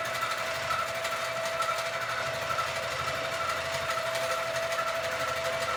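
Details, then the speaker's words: Sewing machine quilting a Christmas quilt, with too much bounce (owner suspects something too loose) and a not-normal sound, cause unknown. Quick, uneven, harsh ticking stitch over a steady motor hum. Abnormal stitching noise with excessive bounce. "Now, I don't know if you could see that there's a lot of bouncing. So, I need to figure that out, which means something is too loose. Like, it's supposed to bounce, but there's too much bounce. One. Two, it is making a sound that my machine is making a sound that is not normal sound."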